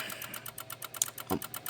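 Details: 2016 Honda HR-V no crank no start, brake pressed: fast, even relay ticking about ten clicks a second; chatter stops when wiring harness near engine is touched; attributed to a missing engine-side ground.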